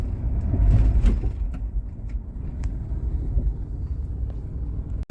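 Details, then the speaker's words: Mitsubishi Pajero Full: single sharp clunks from the rear on accelerating and lifting off throttle; traced to the rear axle shaft end nut at the wheel, which loosens over time and needs tightening. "Acelera, faz o barulho, tira o pé também faz o barulhinho. Tá vendo? Um estalo lá atrás."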